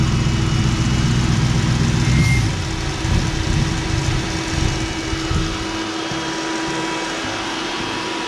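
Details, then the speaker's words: 1965 427 Shelby Cobra replica with a 2003 Mustang GT 4.6 V8 and 5-speed manual, starting after fuel priming: lumpy, sagging idle that stumbles and stalls. The owner suspects low fuel pressure, possibly the pump location, the regulator or a sensor. "definitely fuel related it could be a sensor but my gut is still telling me that it keeps stalling out because there's not enough fuel pressure"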